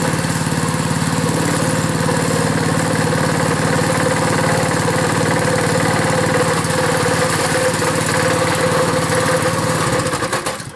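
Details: Small pull-start engine just cold-started after hard pulls: steady chugging at constant speed, loud and even for ten seconds before it cuts off; runs fine after starting.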